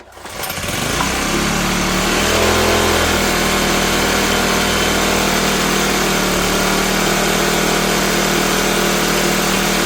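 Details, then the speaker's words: Cheap used Troy-Bilt backpack blower, unused this year, warming up on choke after starting: it holds a loud, buzzy fast run that doesn't settle properly. The owner finds the carburetor all gummed up and plans to replace it. "Yeah, so carburetor's all gummed up. And I'm going to look this up and see about just replacing that"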